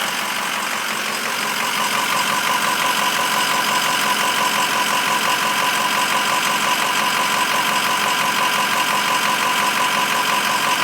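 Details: 2006 Ford 6.0 Powerstroke diesel idling; a sharp, regular knock near three per second standing out above the clatter, cause unknown.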